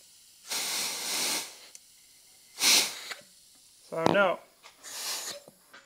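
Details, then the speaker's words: Husky oil-less air compressor, bench-tested by feeding 80 psi in from another compressor: sharp hissing bursts come and go as air leaks back. The O-ring is thought to be fixed, and the valves are suspected. "so i still think it's our valves i think we fixed our o-ring but i think our valves right there are not doing too hot"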